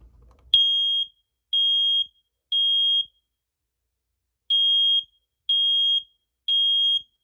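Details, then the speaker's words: Hardwired smoke alarm test/silence button held about 10 seconds: loud, piercing high beeps in two groups of three, the normal horn pattern showing the alarm and its battery work. "You press that in for about 10 seconds or so, and the smoke alarm should sound off, right? The horn should go off, and that tells you if the smoke alarm's actually working and if the battery's working as well."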